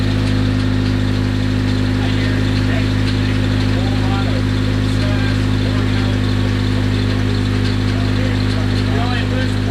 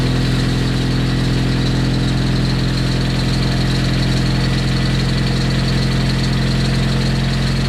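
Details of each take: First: Freshly rebuilt Nissan KA24DET at idle: steady petrol idle with quick light ticking about three a second, sounding like lifter tick; cause unconfirmed. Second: Freshly rebuilt Nissan KA24DET first start after coolant line fix and bleeding, cold garage, break-in: loud, steady idle with deep even hum, no misses or knocks; runs normally.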